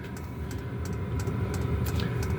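A steady low roar from the burner and fan holds even throughout, with no surging or popping; the heater is running normally.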